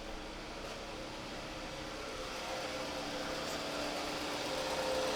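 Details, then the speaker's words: 2007 Scion tC towed in with a no-crank complaint and a dead battery; after the ignition switch tested good, it starts and settles into a quiet, smooth, steady idle with no knocks, ticks or hunting. Normal idle. "she starts and runs a't that awesome"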